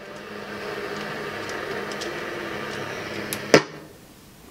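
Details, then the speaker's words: Sony FH7 MKII stereo system, AM band on a weak station (possibly needing an external antenna): very scratchy crackly hiss with low hum, then a sharp switch click; dirty switch contacts, cover to be removed for cleaning. "hear that very scratchy something we're gonna have to remove the cover again"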